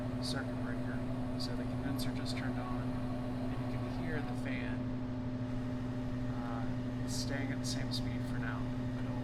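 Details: 2 ton heat pump evaporator blower with a Fan Handler HP-240 in a cooling cycle just after the condenser starts, aiming for about 55°F supply air: steady low hum at constant speed, no wobble or rubbing; normal operation.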